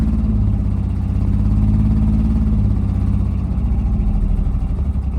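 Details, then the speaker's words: 1986 Suzuki Mighty Boy with a coolant leak, idling after a hard start while being pumped: low, uneven, squirly idle wavering and sagging as if about to die; rough idle, cause not clear. "you hear that that like squirly sound that's me doing that by the way I think it's going to die"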